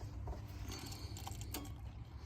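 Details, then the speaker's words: Ford diesel truck, owner-built aftermarket fuel system with two quiet pumps, key-on priming at about 10 psi: quiet low hum then one crisp click as relay shuts pump off; normal fuel pump relay click-off. "and you can just hear that the relay just clicked off"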